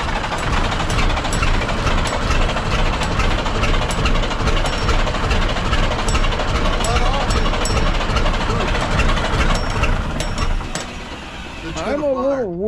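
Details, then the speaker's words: 1965 Kenworth inline six, first start after a new starter and fuel bleeding: heavy, lumpy, uneven chug with missing beats, firing on only about two cylinders because the injector rack was badly set by a previous mechanic. "about the guy that ran the rack on that thing it's only running on about two cylinders not going to hurt anything"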